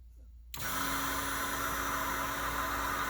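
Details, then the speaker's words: Twin Walbro 450 high-pressure fuel pumps (274 part number), a couple of months old with about five to six weeks of run time, after fuel pressure dropped from about 58 to 43 psi: this pump gives a steady, harsh, hissy whine that sounds wrong; cause not yet found, tank coming out. "sounds like something's wrong so I'm about to get the tank back out of it and figure out what the heck happened"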